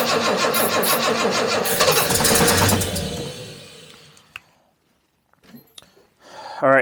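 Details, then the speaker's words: Jaguar XJC after a rebuilt cylinder head install catches on starting fluid, runs roughly about three seconds, then stalls; timing seems good, no knocking; carburettor later found massively overflowing; owner suspects a fuel/AED fault, not confirmed. "but hey it wants to fire up so timing's set pretty good and sounded good there was no knocking or anything"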